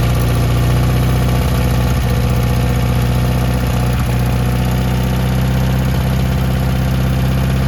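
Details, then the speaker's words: 1972 Toyota Celica, swapped used 18RC engine, Weber 32/36, first start in 20 years, exhaust not properly fitted, timing suspected slightly off: rough uneven idle with a sharp puffing chuff on each firing pulse, very smoky; exhaust leak. "boom it runs oh that was really smoky well we got an exhaust leak down here"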